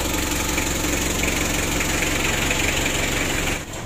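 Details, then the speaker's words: Freshly overhauled Mitsubishi L300 diesel (2017) after rebuild, idle lowered slightly because it started too high on first start: even, steady diesel idle clatter with no knocks or stumbles; healthy settled idle during warm-up. "masalahnya hidup awal tadi kan tinggi begitu Jadi kita kecilkan sedikit"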